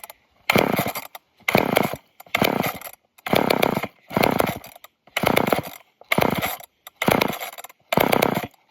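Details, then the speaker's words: Old off-brand Canadian junkyard chainsaw with choke: short ragged bursts about once a second that die away; starts then stalls, owner suspects a dirty fuel filter stopping it pulling fuel. "Dang it. It'll start. It doesn't want to stay running. Think it's having a hard time pulling the fuel."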